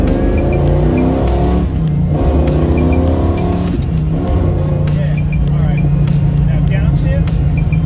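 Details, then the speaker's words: 1967 Camaro RS SS 396 V8, Muncie 4-speed with Hurst shifter, timing advanced, driven hard: deep rumble with rough popping burble as revs drop on a hard downshift off throttle; mild grumble judged okay, cause unclear. "that's not bad i heard it right yeah that's that's okay though not like a little grumble is cool i love the grumble"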